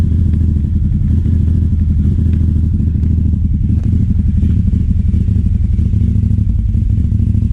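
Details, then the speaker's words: 2009 Aprilia Shiver SL750 twin after about a minute running: hunting idle drifting up and down, no error messages; replacing both air pressure sensors in the filter airbox seemed to fix it. "So this is what's happening with the idle. It's just jumping up and down. It seems to be happening about after a minute running."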